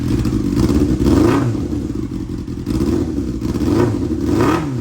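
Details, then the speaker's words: 1999 Yamaha R6 bought as a non-runner, after fitting a TIG-welded exhaust sealed with doubled mesh gaskets at the header: clean quick revs rising and falling evenly, sounds not terrible; normal running. "But seal's okay now, and it actually sounds not terrible, and it looks pretty good."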